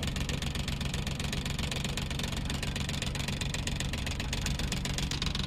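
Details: Maruti Suzuki Omni van after the new battery and charging repair, which previously gave only weak charge: steady, even idle with smooth low hum, no misses or knocks; charging now about 14 V.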